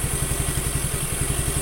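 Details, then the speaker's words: Suzuki Nex II scooter after replacing the left camshaft bearing that caused a rough grinding noise: even, quick thumping idle with no grinding or clatter left; smooth, healthy normal idle. "ini untuk mesin sudah halus tidak ada suara grok grok grok grok lagi"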